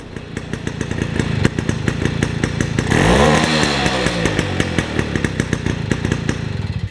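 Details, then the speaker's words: 1953 MV Agusta Pullman 125cc two-stroke split-port single at idle, with the needle on its weakest setting. Irregular popping and a short blip that barely builds revs before falling away, so it revs poorly. Main jet suspected too big; points gap and carburettor not yet sorted. "I'd say the main jet's too big. See, that's the needle on its weakest setting."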